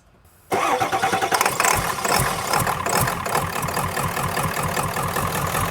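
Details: Ford F350 diesel with a crank-no-start fault, restarted after the fuel tank was cleaned: a short crank, then it catches right away and settles into an even, steady diesel clatter at idle. It starts and runs normally.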